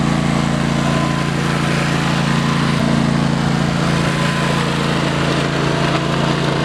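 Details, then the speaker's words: Trail mower build with new carburetor and starter solenoid, riding on gravel: small single-cylinder drone that surges and sags unevenly at low rpm; owner suspects it is not getting enough fuel; engine lope at low rpm. "she seems to shift good runs good has a little bit of like kind of sounds like a a lope at low rpm so i'm kind of thinking it's not getting fuel"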